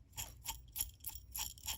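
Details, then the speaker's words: Used SAB Goblin RAW 700 nitro helicopter main shaft turned by hand: rough gritty rasping bursts, about three a second, from Loctite contaminating both main bearings, one side less bad; head was glued with Loctite, shaft marked; main bearings need replacing. "Both sides are the same. This side, not as bad. But that's where that grittiness was coming."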